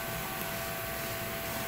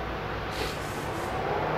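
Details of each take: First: PT Cruiser overheating with AC on: cooling fan commanded on via actuation test runs steadily at low speed only and barely moves air, never switching to high speed; cooling fan internally shorting out, replacement recommended. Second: PT Cruiser replacement cooling fan actuated to high speed via relay test: strong, steady rush of air with no rattle, scrape or bearing whine; the old fan had no strength.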